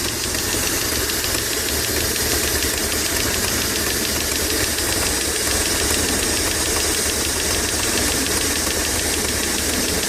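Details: Dodge Stealth twin turbo at idle: fast light ticking over steady even idle; owner suspects lifter tick, unsure; ticking at idle.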